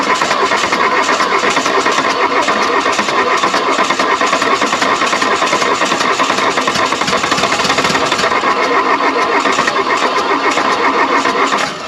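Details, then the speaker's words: 1979 Mk1 VW Rabbit diesel, belts reconnected and after a cool-down, cranking: steady fast churning for about twelve seconds without catching; turns over but won't fire. "we'll go back to trying to get this thing to fire off all right with everything reconnected beltwise and everything goes let's go ahead after some cool down time now and try to fire this thing back off"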